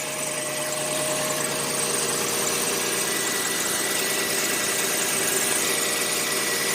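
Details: 1990 Chevrolet Lumina Euro 3.1 V6, 145,000 miles, idling just after a cold start following about 3 months sitting: light, uneven ticking clatter over a hissy top end, owner thinks it's from sitting; separate EGR valve code pending.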